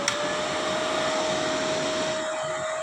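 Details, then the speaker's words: MMA/MIG inverter welder with a no-power, intermittent-shutdown fault, after cracked solder joints on the PCB were reflowed: cooling fan spins up at once with a steady airy rush and constant hum; 320 V now reaches the auxiliary supply; repaired. "when I turn it on this time the fan works immediately"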